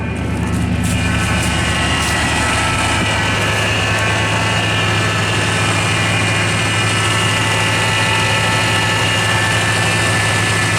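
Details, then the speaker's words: 1984 Lincoln Continental sitting six months on over-a-year-old gas, new battery: steady high whine over an even idle without pitch change, first suspected a belt; power steering fluid found low, causing pump whine. "I didn't check the power steering fluid. It might be power steering fluid. So I'll just do a quick check on that."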